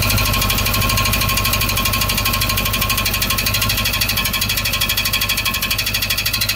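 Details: 1931 Ford Model A idling; fast metallic clatter from the starter gear hitting the flywheel/flex plate ring gear.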